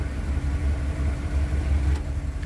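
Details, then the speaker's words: 1975 Pontiac Grand LeMans 400 V8 with two-barrel carb: deep even low rumble with steady beat and no knocks, misses or ticks; idles smoothly. "yeah pretty smooth yeah yeah"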